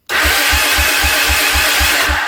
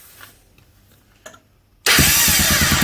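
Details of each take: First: Honda Big Red 300FW ATV cranking on the electric starter with the HT lead pulled so it won't fire: slow compression thumps under a loud shrill squeal, which seems to come from the starter motor or the mechanism next to it. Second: Honda Big Red 300FW ATV cranking with a known good ground jumpered in during starting-circuit checks: quick, even cranking pulses about three a second, then it catches and runs normally.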